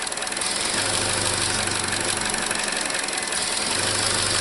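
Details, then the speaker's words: 2017 Chevy Trax 1.4L (LUV) with code P0171: uneven, lumpy, very rough idle under a constant airy hiss. Vacuum leak leaning the mixture, confirmed with a vacuum gauge. "i don't know if you can hear that but we we definitely definitely have a vacuum leak there you can hear it and feel it and the engine was running very rough"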